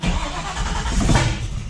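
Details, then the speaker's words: Ford Falcon XB GS, fuel-injected, restart after changing enrichment decay rate: rough, loud, uneven surging without settling to idle; owner suspects engine flooded. "See, I reckon the motor's flooded now because."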